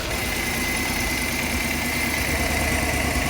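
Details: Chevrolet Suburban after misfire repair (P0300, cylinder 7 misfire near standstill) with all spark plugs and plug wires replaced: even, steady V8 idle, low smooth burble, no stumbles; normal idle.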